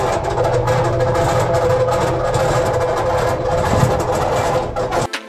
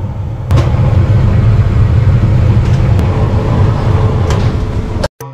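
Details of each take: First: Maytag dryer running makes a loud, ugly noise: rough rumble, knocking clatter and a steady squeal from worn drum support bearings, before disassembly and repair. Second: Maytag dryer after disassembly and repair of a loud, ugly running noise: the drum tumbles with a steady, even low rumble, free of squeal or grinding.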